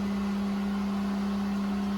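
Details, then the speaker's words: Well pump running normally after a DIY replacement of the 40/60 psi pressure switch: a steady, even low hum with no knocks or surging as the gauge rises toward about 60 psi, when the switch contacts should open. "So the pressure gauge is rising. So it should keep rising until it hits around 60, and then these contactors on the back will open up."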